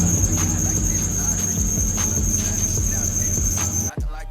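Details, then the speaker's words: Toyota Soarer SC400 1UZ V8 at idle before serpentine belt replacement (Gates 6PK2275): loud shrill steady squeal that stops when the engine shuts off; worn, slipping serpentine belt. "My Serpentine belt started squealing at me not too long ago, and every time I drive the car, it's just unbearable to listen to."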